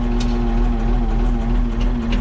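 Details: Oliver 55-series diesel tractor, about 100 hours since engine overhaul, just started via a failing key switch: even, steady diesel clatter at low idle, no knocks, misses or hunting; healthy.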